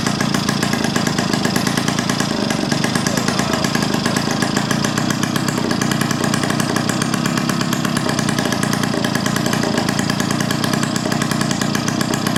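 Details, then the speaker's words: 1971 Yamaha Mini Enduro two-stroke, after clearing an acorn piece and dirt from the carburetor: sharp, raspy, unusually loud buzz at steady idle because the muffler washer O-ring was left off. Exhaust leak at muffler joint. "Man, that thing is running good. All right, I forgot a little washer O-ring. That's why it's so loud right now."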